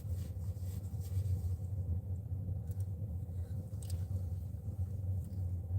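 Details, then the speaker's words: New diesel heater mounted in an outside box feeding a truck cab, fan on low: low steady rumble, soft even burner roar, quiet fan, no surging; normal running on low fan. "Yeah, that fan's like barely going, but you can still feel the heat coming in."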